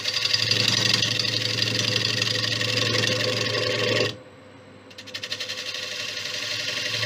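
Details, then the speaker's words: Large warped ash bowl on the lathe at 700 rpm, gouge straightening the warp: a steady cutting hiss drops away, then returns choppy and pulsing as the gouge bridges air gaps. Interrupted cut on an out-of-round bowl. "you can hear the difference in the course now remember there's air in here as well"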